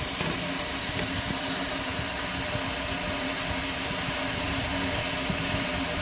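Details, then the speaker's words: 6.0L diesel with a hot no-start, air test with engine off: steady loud hiss of shop air escaping. Leak found at the revised STC fitting installed 4 years and 47K earlier; engine heard whooshing internally. "So I'm going to open the air now and you'll see where the oil is not really flowing oil, but the air blows out where you can see where it's striking."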